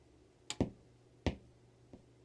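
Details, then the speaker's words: Budget amplifier board powered from a bench supply with no signal source connected, heard at switch-on. Three sharp pops in quick succession over a faint hum, and a light pop at switch-off; excessive turn-on pop. "Yeah, there was 3 pops when I turned it on. And it makes a light pop when I turn it off."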